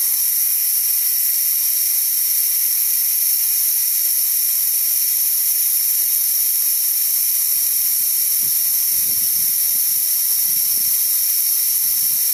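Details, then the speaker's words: DeWalt D55146 air compressor, motor stopped: steady high hiss as tank air leaks back through the failed check valve, pressure falling until it restarts around 160; check valve needs replacing. "as you can see it's going back down and it's going to kick on again about 160 or so and that's again because that check valve is letting the air by"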